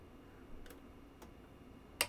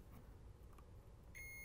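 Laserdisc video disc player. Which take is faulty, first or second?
first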